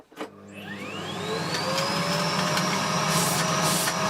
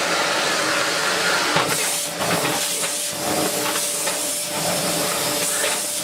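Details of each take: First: Bosch GS40 bagless vacuum, hose removed: motor winds up to a steady, strained high whine with no airflow change; clogged filter and filth restricting suction. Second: Bosch GS40 bagless vacuum after clearing a blockage behind its red warning light; strong steady motor whine with even airflow rush and some handling knocks, suction healthy with no choking or strain.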